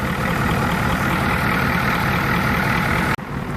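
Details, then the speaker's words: Ford 7.3 diesel after serpentine belt and failing tensioner pulley replaced, started after glow plugs heated: steady even idle with smooth low rumble, the former knocking and clicking gone; normal idle. "And the sound is gone, my friends. No more jumping tensioner pulley. Click is gone. Smooth running. Sounds better already."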